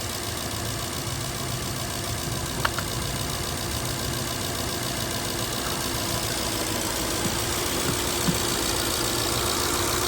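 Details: Toyota 2UZ-FE V8 idling completely cold: steady idle with a light, quick, even ticking that disappears once warm; owner thinks it is injector noise, having considered loose spark plugs or oil viscosity; judged normal injector tick.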